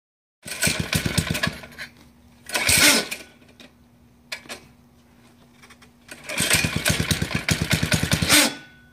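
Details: Baja bike, new and run for the first time, motor visibly rusted: repeated pull-cord bursts of rapid chuffing that die out each time, never catching; cranks but won't start, cause unconfirmed.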